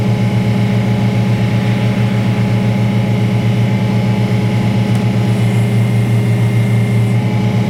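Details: Detroit Diesel-powered car crusher whose hydraulic tank was found holed by a bump, which explained why it held so little oil. A steady, deep drone with a constant hydraulic hum and no knocks, squeals or surging; running normally.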